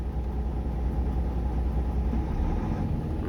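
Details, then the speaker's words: Volvo truck, new 400 hp Smart Eco diesel, idling at about 600 rpm, with lowering idle to about 500 rpm for long parked idling planned; low even diesel rumble, no misses or knocks; normal idle. "ตอนนี้รอบอยู่ที่ประมาณ600รอบต่อนาทีนะครับ"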